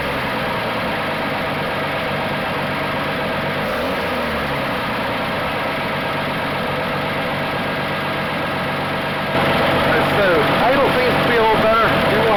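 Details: 1980 Dodge D150 with a new high-torque mini starter, at full operating temperature after a drive, once the idle that had been too high was adjusted down: smooth, steady idle with no misses or knocks at a slightly lower settled speed.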